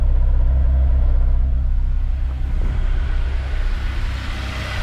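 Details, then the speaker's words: Honda S2000 with cylinder 3 misfire code: low idle with uneven bubbling stumble and dropped beats, random puffs at the exhaust instead of a smooth stream; tight valves found as cause. Cylinder misfire from tight valves. "sounds like a stumble here is kind of like a bubble like a worldly sound often if you put your hand here and you feel random puffs as opposed to a solid smooth stream that's what it's doing so we've got a misfire"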